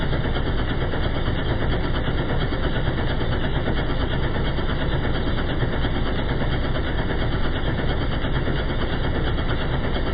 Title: BMW m57 rhythm at idle in slow motion and at idle with a bad injector